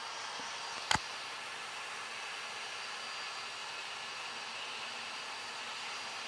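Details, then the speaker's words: New Flashforge Adventurer 5M 3D printer during its vibration calibration, now moving back and forth and speeding up until it is just heard as a buzz: a steady, high-pitched buzz with one brief click early on. Normal calibration. "pretty soon it's so fast you can't even see it you can just hear it as a buzzing"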